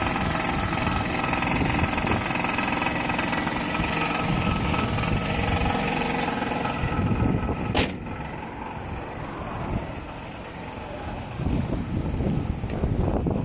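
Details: Toyota Ipsum with a 2AZ-FE engine: rough idle with a steady rapid tapping of about three to four beats a second over the engine hum. Engine knock of unclear origin.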